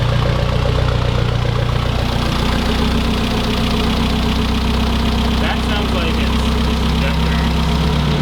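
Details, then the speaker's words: Mitsubishi 4G63 in a mid-engine Eclipse, restarted after timing belt and tensioner work: rough idle with an irregular low knock, about three per second. Cause unknown; rod knock, lifter tick or a loose timing belt are suspected. "pretty sure the knock's still there but we're going to take it for a drive"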